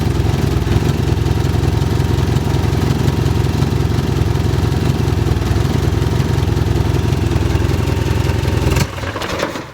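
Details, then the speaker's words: Engine idles lumpy, then stumbles and dies abruptly right after the coolant temperature sensor is plugged in; runs fine with it unplugged, so owner suspects the faulty coolant temperature sensor causes the stall. "I go and I plug this in and it will just die hold on it'll die this way"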